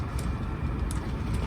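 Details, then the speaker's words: Heater during restart after the purge cycle: faint sharp ticks roughly every half second over a low fan rumble, as the fuel pump resumes metering normally before combustion lights. "so do that for a bit and then it will basically turn the fuel pump back on you'll hear it ticking in a second"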